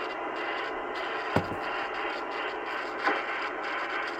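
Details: 80s ham radio with a scratchy, noisy volume pot (a double gain control), being cleaned with spray instead of DeoxIT: steady hiss broken by two short, sharp scratchy crackles as the knob is turned.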